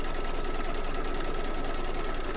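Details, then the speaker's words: Embroidery machine in an 8x8 hoop: fast, even stitching rhythm with a steady whir and no squeak or catch; runs smoothly. "no squeaky that time nice perfect"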